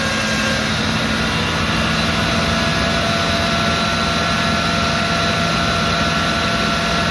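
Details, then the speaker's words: Discovery 2 Rover V8 4.0L idling on first start after rebuild: steady whining tones from the power steering pump. The pump was rebuilt with a new gasket but ran short of fluid despite the reservoir being filled, so air is in the system. "well there it is it's run there was a horrendous sign you i'm sure you heard it and you could see me looking down in that direction that was the power steering pump"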